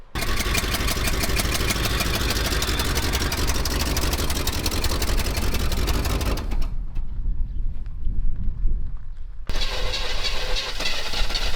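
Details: Chevy Nova V8 with high-rise intake and knockoff carb: cranks, catches and idles lumpy with a fast, light ticking from the top end; a really loose rocker was found, cause not confirmed.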